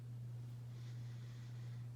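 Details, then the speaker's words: Hampton Bay Cameron II Plus 52-inch ceiling fan from December 1999 on high speed, running very slowly with a loud steady hum caused by a bad capacitor. "unfortunately i found a weakling in the cameron clan because this one has a bad capacitor and it hums really badly because of that it's not going to perform like it should"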